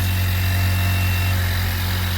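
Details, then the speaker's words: Car with a dead battery jump-started using a Lasfit portable lithium jump starter starts with no problem and no warning lights: low, smooth, even idle drone holding steady without surges, knocks or rattles; normal idle. "all right so now it has power start the car start it up with no problem [Music] any warning lights no warning lights"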